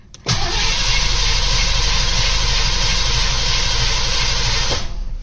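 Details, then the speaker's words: Mustang after winter storage and new spark plugs, oil pressure primed, one more crank before refitting the coil wire: strong, even cranking about three turns a second for nearly five seconds, no firing, catches or clunks; cranks healthy. "but all right well it cranks really good which I'm happy about"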